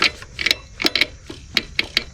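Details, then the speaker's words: 2013–2017 Honda Accord 2.4L that would not start, with only 6 volts: the rusty alternator, belt removed and turned by hand with the engine off, gives uneven dry gritty clicks. The alternator bearing is failing, so the alternator needs replacing. "that's that's what the alternator sounds like it's not even turning it sounds horrible that giveaway we need to replace this alternator"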